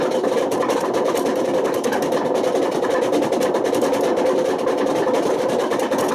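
Loud steady roar with a gritty rushing edge throughout the high spin, the classic sound of badly worn drum bearings.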